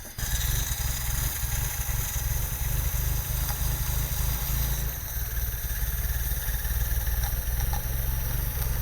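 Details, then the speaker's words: Old Italian sports car with a dirty carburetor that sat with old fuel, warmed up; it stumbles and dies at idle. Steady idle with a faint thin hiss over the exhaust burble; suspected vacuum/air leak, and what may be a cold start solenoid was later found unscrewed. "now I don't know if you can hear this but there's a little bit of an air leak so we're going to start there hopefully we can find the source of the air leak right now or vacuum leak"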